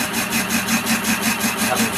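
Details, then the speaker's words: Warco lathe at about 330 rpm facing a roughly 60 mm square cast iron block for a quick-change tool post, now on the circular part of the cut. The hissing cut swells and fades each revolution from the varying depth of cut. "But I have got a varying depth of cut, which is why you can hear the undulation in the noise"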